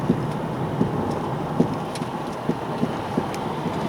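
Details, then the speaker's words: Nissan Leaf driving over uneven pavement at −30 °C: sharp irregular thuds through road rumble. Noise varies with temperature, sometimes growling; right shock strut leaking; owner suspects strut bearings, parts bought. "Этот стук снова появился. Таким образом, звук меняется в зависимости от температуры."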